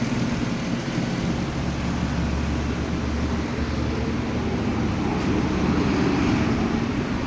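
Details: Kia Cadenza V6 after fixing a no-start wiring fault, where a fan wired directly to a live feed blew three fuses: now starts, steady low even idle hum with no misses or knocks.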